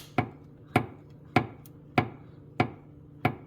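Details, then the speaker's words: 2024 Subaru Forester under the hood, after hitting a road edge: six sharp metallic thunks about every 0.6 seconds as the steel cowl tab knocks its metal bracket with body flex; fix is foam between them. "hear that thun that's probably the th that you're hearing inside now if we come over here to the driver's side we can see that this one's even closer to the metal and this one makes the same sound"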